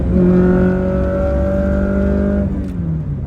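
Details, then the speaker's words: Toyota AE86 Corolla driving after the rattly short shifter was swapped back to a rebuilt stock shifter: a steady engine drone under throttle easing as revs drop, with no buzz or rattle from the gear lever. "oh this is great no rattle at all I can really enjoy the Driving"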